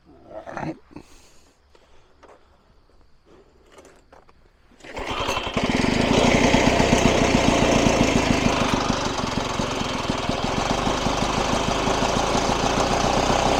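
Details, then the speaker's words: 1994 Lawn-Boy 10650 commercial walk-behind mower, 6.5 hp two-stroke, air box cover missing: after handling noises it starts and settles into a steady, even two-stroke buzz; healthy running. "uh I did get it running we'll try to start it up here"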